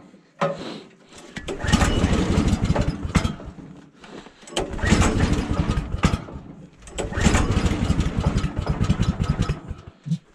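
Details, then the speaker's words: 14 hp Kohler engine on a Woodland Mills HM130 sawmill, pull starts at -26 °C with choke on: three bursts of sputtering firing that each die away; catches but won't keep running, owner blames the cold. "let's turn on the gas here put the choke on and this is a good negative 26 Celsius start oh yeah she's firm"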